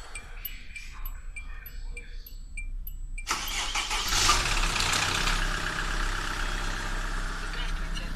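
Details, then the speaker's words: SsangYong Kyron cold start after sitting about 12 hours, oil run 8,000 km, phone mic at the window: engine fires with about a second of rapid chattering, then smooth idle; oil pressure lamp goes out instantly. "вот была она сейчас чё-то какой-то там стрекотание секунду все а лампочка погасла моментально еще на старте все всем удачи"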